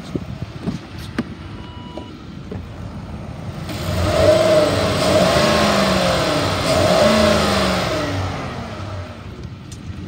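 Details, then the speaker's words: 2008 Ford Expedition XLT 5.4L V8 ex-police unit, about 150,000 miles, warmed up after nearly an hour running without overheating: quiet smooth idle then two clean revs climbing and falling, healthy engine; slight vacuum-leak hiss noted. "the motor sounds good i'm gonna rev it up so you can hear it"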